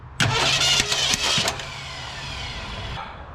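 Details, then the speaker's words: 1967 Ford Galaxie 500 cranked on fuel dropped into the carburetor bowl after bad gas varnished the engine: harsh clattering bursts, then a rough run; crazy noise blamed on stuck valves, owner fears another bent pushrod. "what in the heavens did i just bend another pushrod what made all that noise what in the world made all that noise did y'all hear that noise"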